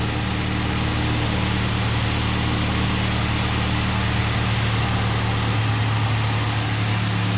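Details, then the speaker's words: Ford Ranger 2.3 engine at idle: a steady, even low hum with no knocks, misses or ticks, running "like a sewing machine"; normal healthy idle. "but listen to a run runs like a sewing machine"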